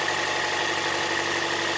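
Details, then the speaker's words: 2007 Toyota Yaris idling after replacing a long-unchanged serpentine belt that had been squealing. Smooth, even idle with no squeal: the belt drive now runs normally. "Now that we're done, we'll go ahead and crank it up, make sure there's no squealing."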